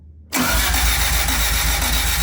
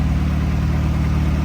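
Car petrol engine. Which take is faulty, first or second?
first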